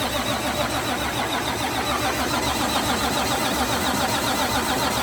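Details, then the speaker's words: Freshly rebuilt 12.7 L Detroit Series 60 diesel, first start: cranking more after tightening a leaking fuel return line on back of head, even rhythm about three and a half beats a second, no firing. Normal cranking. "Tightened up. I'm gonna spin her a little more."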